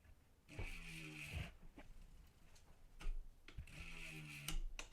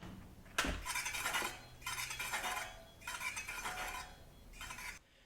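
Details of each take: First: MTB wheel with a brand new 180 mm disc rotor on a new Shimano 20 mm offset frame adapter, spun to check alignment before any adjustment. Quiet free spin with soft hub ticking and no scraping. The disc runs clear with no rotor rub. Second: Mountain bike front wheel after fitting a new 180 mm rotor and Shimano adapter, before realignment: light swishing scrape about every second as the wheel spins; rotor likely misaligned with the caliper bracket.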